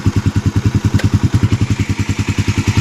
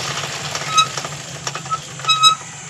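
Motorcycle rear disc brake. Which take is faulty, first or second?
second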